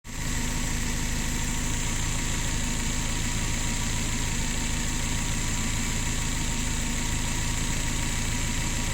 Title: DTA S80 misfires